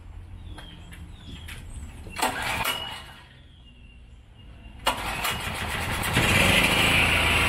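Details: Powerstroke generator after repair for no power output: two rope pulls with sharp rattles, then the engine catches and runs steady and even, building slightly; starts and runs fine.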